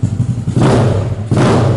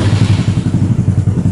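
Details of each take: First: Yamaha Mio SOHC 4-valve scooter with modified exhaust and longer silencer, idling then blipped: lumpy idle broken by four loud raspy exhaust barks; exhaust still too loud. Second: Yamaha Mio SOHC 4-valve scooter with longer silencer, oil cooler and hoses relocated: even, regular thumping at about ten beats a second, smooth and steady with no misses; normal running.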